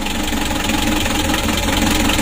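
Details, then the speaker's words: Hot Mitsubishi L300 diesel revved: coarse, shaking rumble with an uneven pulsing beat and heavy vibration, worse when cold; heavy blow-by, with compression leaking into the radiator. "Coba kita gas mesinnya serasa kasar suaranya kasar teman-teman"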